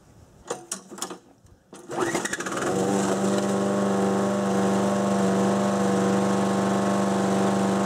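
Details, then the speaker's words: 6 hp Briggs & Stratton engine on a Murray mower deck at wide-open throttle before governor adjustment: after a few pulls it settles to an even, steady drone that never climbs; maximum governed speed is set too low. "So, you can hear what I mean. It runs. It does its job, but it kind of does the bare minimum, which is not acceptable."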